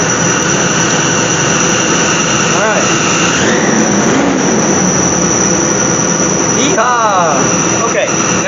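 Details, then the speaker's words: Chevy/GMC truck started right after fuel pump and fuel filter replacement: sharp steady high-pitched squeal over the engine with whistles swooping up and down; source unknown. "we can button it up I don't know what that noise is yeesh sounded terrible"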